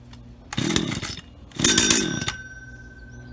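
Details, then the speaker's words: Auction-bought Stihl HT75 pole saw two-stroke, head cleaned, first test run: two quick crisp throttle blips, clean drop-back between, no stumbling; runs perfectly, normal. "so there we have it ht75s from an auction and they work perfectly and they're even sharp"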